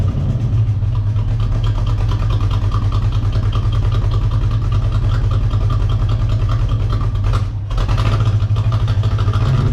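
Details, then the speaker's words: V8 Corvette just after a Hypertech ECM chip install, idling: a heavy, uneven idle with a lumpy, unsteady beat and a brief dip. It runs rough because a component was forgotten and left unplugged after the chip swap. "it was just running like complete [ __ ] and that's because i forgot the [ __ ] was out of the game"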